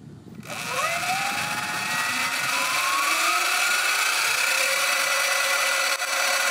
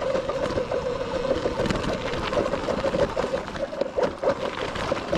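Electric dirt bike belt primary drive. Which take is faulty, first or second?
second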